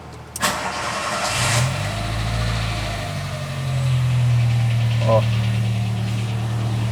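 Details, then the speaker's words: 2007 VW Gol G4 1.0 8v Total Flex cranks and catches into idle with a light knock roughly three per second, began after oil change; owner suspects piston pin or cylinder clearance. "eu vou dar a partida no carro para você perceber que ele está apresentando um barulho no motor"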